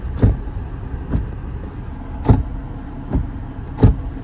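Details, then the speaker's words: Hyundai Grand i10 Nios, 3 years and 41,000 km: sharp dull thudding, roughly one per second, coming from around the gear lever area; cause not yet diagnosed. "ऐसी आवाज आती है उधर से धपधप की थोड़ी सी ज्यादा तीखी है ना ऐसे करके।"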